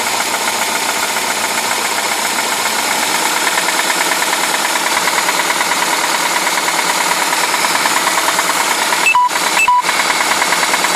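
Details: UZAM-412 engine running with a dull, fairly regular tapping about two knocks a second; internal engine knock, cause not yet pinned down.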